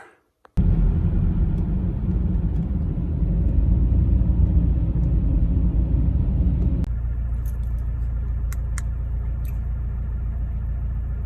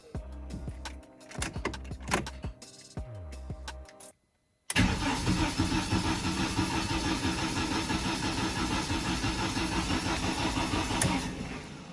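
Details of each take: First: BMW E46 compact N42/N46 after retiming; timing had skipped because the crank bolt wasn't torqued to 200 Nm, causing codes P27C1, P2781, P2782. Starts instantly, then a steady low rumble settles into an even idle. Normal idle after repair. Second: BMW E46 compact with N42/N46 engine logging codes P27C1, P2781 and P2782, in neutral, after cam sensors were swapped; even chug about three a second for six seconds without firing, crank no start, timing suspected out.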